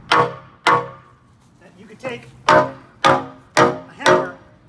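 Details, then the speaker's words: Condemned old steel flagpole, taken down: six taps on the lower section give short dull thuds that die fast with no ring, unlike the sound top portion; the pole has rusted out from the inside. "I just put a hole in there because did you hear it sounds there's rust inside that basically just it's rusting from the inside so all this was inside the pole and that's why it doesn't have the ting sound"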